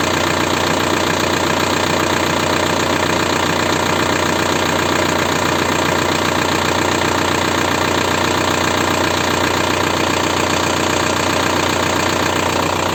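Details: 1.9 TDI diesel (ALH/AGR/ASV/AHF) at idle after an oil change: steady, fast, even knock of two to three per second from worn hydraulic lifters plus piston slap. Rings likely burned by 30,000 km oil intervals. Replacing the lifters nearly eliminated the knock.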